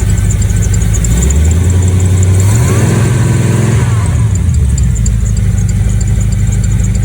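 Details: Project truck V8 with carburetor, de-winterized spring 2022, cold: even low idle with steady pulse, no hiss, light belt chirp; much better after spark plug change and carb tuning; oil pressure and volts good.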